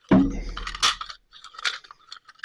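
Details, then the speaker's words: STIHL 6R 450 backpack blower, engine runs: repeated recoil pulls give quick rattling clicks and rope whir with no engine catch, as the recoil pawl and spring inside the starter are not grabbing each other (spring slipping). Recoil starter not engaging. "So, what's happening here is down inside the spring is not grabbing this or this is not grabbing the spring."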